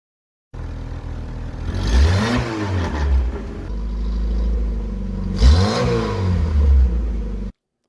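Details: 1981 VW Rabbit with 1.8 swap, after installing 4-2-1 dual downpipe and thrush muffler to fix a suspected front manifold leak; two clean revs rising and falling smoothly, deep even note, no ticking or puffing leaks: normal exhaust note.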